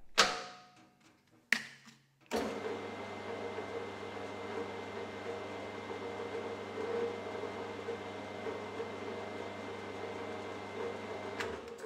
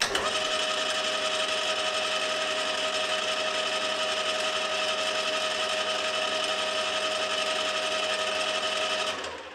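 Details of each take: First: HAFCO AL320G lathe gearbox after refilling with thicker, extra oil and fitting a new top-cover gasket, running at high then low speed. A steady gear whine with a low even hum and no clatter or knock; noticeably quieter. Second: HAFCO AL320G lathe gearbox before the oil change: loud, steady metallic gear whine with rattly chatter from gear backlash; thicker oil, added in greater quantity, later greatly reduced the noise.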